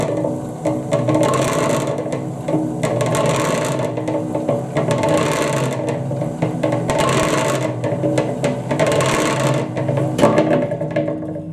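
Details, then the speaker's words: Harbor Freight 3.5 cu ft cement mixer running; steady motor hum with harsh grinding growl about every two seconds as the bent drum ring gear's low spot meshes too tight with the drive gear. "ll see this thing walking up and down and when it comes down as it gets closer the meant the gear match gets too tight and then it makes that growling sound"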